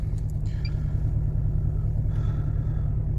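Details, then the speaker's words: Mercedes W245 B-Class automatic, cold start, misfire on cylinder 4 only when cold, no oil or coolant loss: ECU cuts injection, so a lumpy, stumbling three-cylinder idle with visible vibration. "teraz już słychać jak pracuje na trzy gary wyłączę ten wiatrak Mercedes słychać I widać wibracje"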